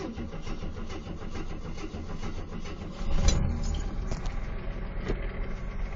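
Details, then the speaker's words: 1974 AMC Gremlin, 258 inline-six, cold start after about 3 months sitting, choke thought to be working: catches around three seconds, settles into even steady idle, no misses, slight ticking attributed to old engine; healthy start. "You can hear a little bit of a ticking. And that's just because, well, it's an old engine."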